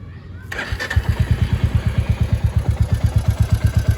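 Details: 2024 Royal Enfield Classic 350 Reborn, single cylinder, after its engine was opened at first service. It catches and settles into a slow, even thump near 170 a minute; the earlier knocking is reduced but a faint knock still rides each beat.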